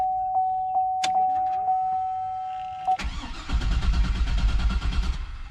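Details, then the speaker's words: 2003 Chevrolet Suburban 5.3L 2WD: chime, then starter cranks steadily about three turns a second but engine never catches despite good spark, starter and battery; codes P0171 and P0174 lean, plus P0420; diagnosed as bad fuel pump, later replaced. "getting plenty of spark it's wanting to kick over the starter is good battery is good all that stuff's good"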